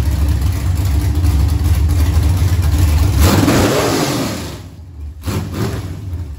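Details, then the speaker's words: Junkyard LM4 aluminum 5.3 LS V8 on a stand with a Tick Performance Street Heat stage 2 cam (229/235, 111+2): deep choppy lope at idle, strong rev falling back cleanly through open headers; healthy cammed engine that sounded mean. "but that sounded really really good that sounded mean"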